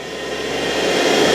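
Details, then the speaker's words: Universal motor on a trainer kit running on DC supply with no load, turning anticlockwise at about 29–30 V: high, even whine with a rushing hum climbing as it reaches about 10,000 rpm, like a kitchen mixer. Running normally. "So speed ಎಷ್ಟು, about 10,000 RPM ಇದೆ. ನಿಮ್ಗದು speed sound ಕೇಳದೆ ನೋಡಿದ್ರೆ ಗೊತ್ತಾಗ್ತಾ ಇರುತ್ತೆ speed heavy ತಿರುಗ್ತಾ ಇದೆ ಅಂತ."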